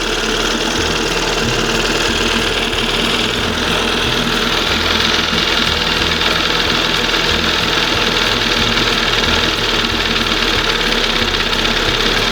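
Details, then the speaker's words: 1971 Johnson 20 hp two-stroke outboard on the water, new side-adjust carburetor replacing failed OMC primer pump setup, mixture set midway: steady, smooth, crisp buzzing idle with no misses or surging, not revving high; normal idle. "That to me, that's the way it should be idling. Not revving real high. Nice smooth."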